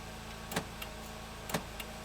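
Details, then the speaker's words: Nissan Sentra running with headlights on: sharp relay-like clicks about once a second, each followed by a fainter tick, as headlights and dash lights flicker; clicking and flicker stop when a faulty CAN bus interface module is unplugged, not the alternator. "the click now once i disconnect this the click will stop so this is disconnected and watch up there our lights on the dash are no longer flickering"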